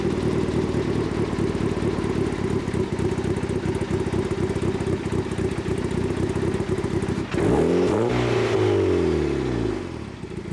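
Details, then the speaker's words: Turbo Miata on an e-tune at cold idle, with the idle now set up properly: even, steady firing pulses with no misses or stumbles, then a sweeping engine note; the AFR reading is good and the cold idle is smooth and healthy. "That's a nice, smooth idle. Pretty good AFR reading on the idle. Even at a cold idle, this is really good."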